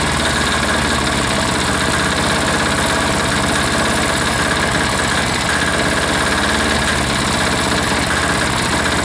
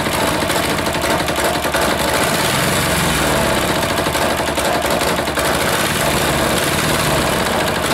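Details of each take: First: Air-cooled diesel engine just reassembled, throttled down to idle after earlier fuel starvation, with even, unbroken clatter and no misses or surging; owner says it sounds pretty good and doubts it will go much lower, normal idle. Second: Air-cooled single-cylinder diesel just reassembled, idle adjustment off: ragged uneven beat with loose knocking at idle, smoke; rough running, owner suspects air in fuel line or leaking fitting sucking air.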